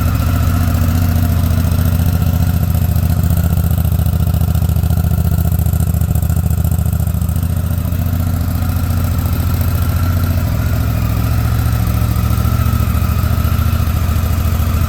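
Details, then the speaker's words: 2019 Honda Africa Twin CRF1000L twin idling after first start in almost six months and a stuck-throttle fix: steady, even low throb at a settled idle with no misses or knocks, running smooth. "ribed it up and sounds good running smooth too"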